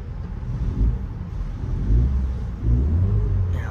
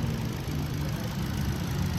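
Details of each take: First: Ford EcoSport on test drive with the AC on, low even engine rumble swelling smoothly under throttle with no stumbling, after swapping in used spark plugs for a cylinder 2 misfire; check engine light now off. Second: Ford EcoSport petrol engine at idle with the check engine light on: an uneven, lumpy low throb and shaking from a misfire, with spark plugs to be checked first.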